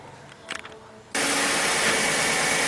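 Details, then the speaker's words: 2011 Ford Edge lifted, in gear and accelerating after new front half-shaft fitted and wheel torqued: smooth even whir, former strong CV joint noise gone; normal axle operation. "engatamos e estamos acelerando ele aparentemente Aqui o barulho parou vocês estão vendo ó não tá fazendo mais barulho"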